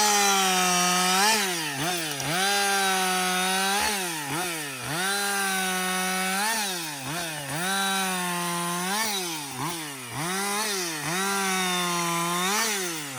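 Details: Husqvarna 562XP 60cc two-stroke chainsaw, reflashed by the dealer for dying when hot and failing to start, about two-thirds of a tank into bucking windfall: high steady scream bogging briefly with each cut and springing right back; normal running under load.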